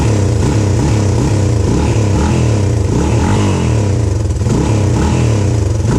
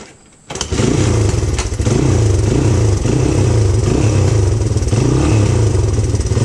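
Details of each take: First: 1997 Honda XR200R pulled from barn after sitting a long time: loud single-cylinder bark, uneven surging rev with some clatter; runs but mixture sounds off. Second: 1997 Honda XR200R pulled from a barn, on non-ethanol fuel, with a fuel leak sealed with gasket maker on an o-ring: catches after brief cranking, then a steady even thump with clean throttle blips; healthy running.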